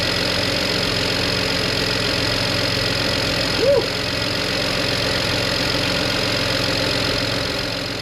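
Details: BMW 335i, twin-turbo N54, abandoned car that died and wouldn't start, after replacing the failed high-pressure fuel pump: steady, even running with a smooth mechanical hiss, no knocks or misses; sounds healthy.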